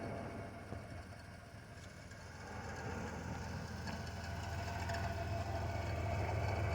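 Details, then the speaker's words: 1991 Chrysler New Yorker Fifth Avenue, recently revived after sitting almost 20 years: a low, quiet, even idle with a soft steady pulse and no knocks or stumbles; the engine idles normally. "I don't know if you can hear it running but it is there's the factory sunroof open there this is cool"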